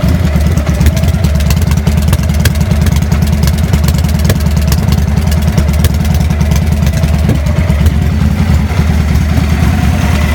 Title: Rough Idle & Popping - 00 Victory V92sc